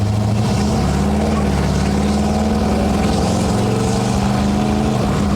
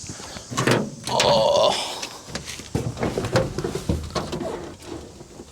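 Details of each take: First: 1970 Ford Falcon small-block after a 750 Holley carb swap, pulling hard under load while driving (it still needs a torque converter): the V8 drone briefly wavers and breaks up, then smooths out. The owner suspects it may be running rich but can't tell. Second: 1970 Ford Falcon with a freshly fitted 750 Holley and no manual choke set up, cold start on a 90° day: a slow crank and a few rough turns, then a steady, even, slightly low idle with no misses.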